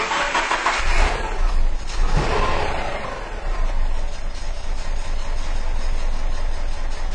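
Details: 2009 Subaru Impreza with random misfire codes P0300, P0301, P0302, P0303 plus P0133 O2 sensor response code; cranks, catches and settles into an uneven, lumpy low idle; exhaust back pressure gauge jumps but stays under one, ruling out exhaust restriction.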